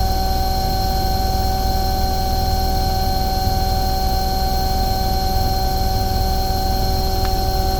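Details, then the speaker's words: Omni/Econo Heat/Morrheat waste oil heater burner after cleaning and nozzle service, at about 12.5: steady even roar with low hum, no surging; running beautifully, earlier smoke clearing. "that's B that's actually really good it's actually running beautiful there it's just oh about 12 and 1/2 that smoke is clearing now"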